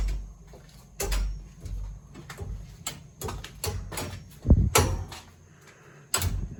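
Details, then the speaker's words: Steam heating system pipes in a house basement giving sharp, irregular bangs and knocks as steam hits trapped condensate; the pipes shake and radiators spit water, caused by an added radiator over 30 feet away on an undersized pipe. "that hammering sound that we're hearing is steam hitting water and violently exploding that water. And it expands thousands of times its original size. And you have this banging sound, which is annoying because some knucklehead decided to do this."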